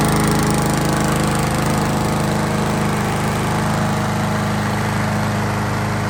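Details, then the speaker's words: Toro Recycler mower freed of a grass clog under the deck that had stuck the pull cord, after being majorly flooded from lying on its side, air filter removed; steady even single-cylinder beat with constant pitch, no misses or surging, normal running. "So, this thing was majorly flooded and um I already primed it. Um majorly flooded from being on its side."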